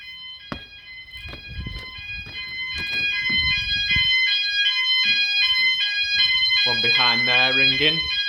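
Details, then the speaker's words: E.M.S. FirePoint System 5004 house fire alarm, Sound Alarms pressed on panel, all sounders firing together: loud piercing high tones holding steady across the room, clearly audible throughout house; normal sounder tone. "so you know whatever you are in the house you can hear it quite clearly and it's very loud so it's doing what it needs to do basically there's no way you're going to sleep through that or anything"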